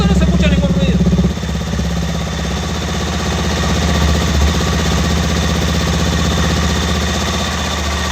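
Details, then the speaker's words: Benelli TNT 25 (Tornado) 250 after clutch basket repair for clack-clack rattle, exhaust muffled: low, even single beat about three pulses a second with no clutch clacking; normal, quiet idle. "pero se escucha muy silencioso el motor"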